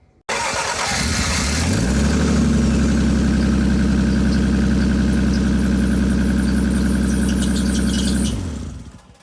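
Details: Cracked exhaust pipe after repair with a JB Weld wrap kit, cured overnight, car started next morning: quick catch on the starter, then a firm steady idle with an even low rumble and no exhaust ticking or puffing leak; sounds better.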